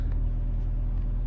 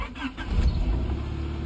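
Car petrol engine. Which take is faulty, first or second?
second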